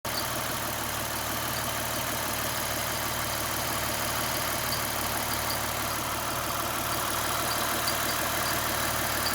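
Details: 2009 Lexus IS350 idling after aggressive driving: steady idle with light chirp-tick about three times a second that comes and goes; fixed by replacing the serpentine belt.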